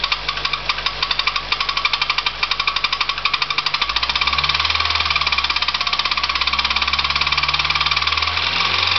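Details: Nissan Primera at idle: sharp, regular metallic knocks, a couple per second, over the idle, an internal engine knock; owner is asking what the bad noise is, cause unknown.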